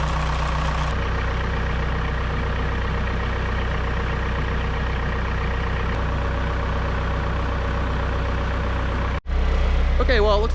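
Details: Kobelco SK120LC Mark V excavator diesel, about 7,000 hours, just after the thermostat housing leak repair: deep, steady idle with an even low rumble and no misses or knocks; normal idle.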